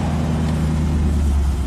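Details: 1995 Chevy Camaro V8 after a no-crank fault, with the starter solenoid circuit jumpered past an aftermarket security system: strong, even rumble held steady with no misses, rattles or knocks; healthy running.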